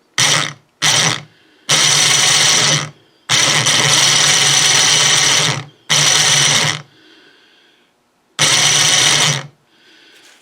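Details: 12 V winch motor that rotates a snow blower chute, bench-run on a 12 V battery while disassembled for service, before greasing: short bursts of high, rough, gritty, crunchy gear whirring; gear noise.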